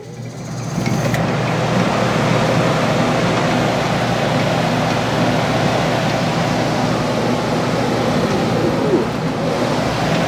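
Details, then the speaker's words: Early 1960s squirrel cage blower fan saved from scrap and fitted in a box: start-up surge, then a steady, even rushing hum with no knocks or rubbing and strong draw; running cleanly and fairly quietly. "Cool. Wow, it's got some draw. That's cool."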